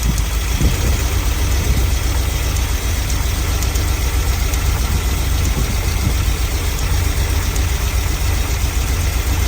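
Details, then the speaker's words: Vintage Chevy van V8 that sat for years: lumpy, uneven idle with no clear knock or tick. Pulling a spark plug as a crude power balance test gave little even idle drop; rough idle, cause not pinned down. "it didn't have any major noise but we also didn't get a lot of even idle down when we were doing our crude Power Balance test by just pulling a spark plug"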